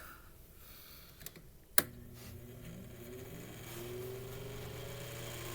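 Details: Mainstays 9-inch high velocity fan after oiling and blade balancing, switched to high for an airflow test; a click, then a smooth hum rising steadily in pitch as it spins up, no rattle or scraping; normal startup.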